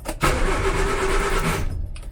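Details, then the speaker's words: 1970s Austin Allegro, after fixing bad ground (found by bridging starter solenoid): steady starter cranking that catches into a brief engine rumble, even and unlabored; starter now cranks normally. "it now cranks yeah that was a bad grounding issue but I think I sorted"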